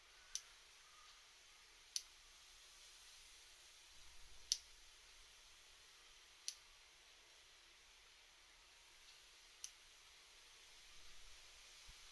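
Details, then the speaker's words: Shimano BL-M9020 hydraulic brake lever in a quiet room: sharp isolated clicks as the Servo Wave piston jerks and the piston guide roller jumps abruptly when the lever is released; the right lever works fine, and the root cause is not found. "As you can see, the servo wave piston jerks and makes a clicking noise when the lever is released."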